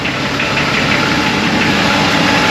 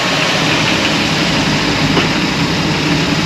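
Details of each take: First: VL Commodore (planned turbo build) cold start two days after oil change with lifter-freeing additive (one bottle per 5 L, 4.6 L oil): even idle with fast light ticking, noisy hydraulic lifters that come and go, worse some mornings. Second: Holden VL, cold start two days after an oil change with Nulon Lifter Free added: cold idle is smooth with no clear lifter tapping, valvetrain quiet; the additive appears to have reduced the usual morning lifter noise.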